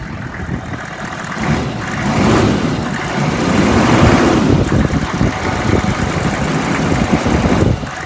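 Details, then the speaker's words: 2002 Chevy 3500 utility truck with automatic transmission and 64,456 miles, engine warm after about 20 minutes of running without overheating, revved from a smooth idle: it climbs and settles back with an even rumble and no knocks or rattles, so the engine sounds good. "It's been running for about 20 minutes. Has not overheated. It idles smooth. It revs up nice."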